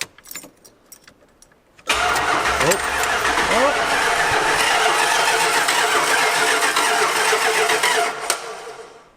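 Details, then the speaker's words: 1986 Dodge Ramcharger being rebuilt, body not grounded, key turned with wiring hooked up. Even cranking at about four beats a second runs on without stopping, and one cylinder sounds weak. Starter keeps cranking. "i guess it cranks and it does so indefinitely uh sounds like we have one weak cylinder there"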